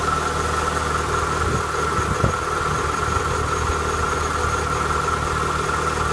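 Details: Renault Clio 182 petrol engine at cold start idle: steady high whine over an even low hum from a worn, failing water pump.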